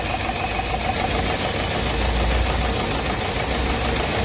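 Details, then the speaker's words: Nissan Terrano diesel just after starting, idling rough and uneven with a stumbling knock. It is misfiring heavily because an injector is not working, with code P0203. "अभी ये काफी ज्यादा engine Mising कर रहा है ये देख सकते हो कैसा मिशिंग कर रहा है"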